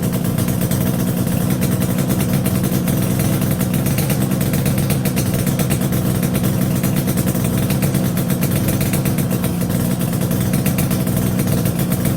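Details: Yamaha RD350YPVS F2 two-stroke twin after full rebuild (bearings, seals, rebore), plugs retightened after being loose on first run; quick even burble with steady low tone, no knocks or rattles; normal quiet idle.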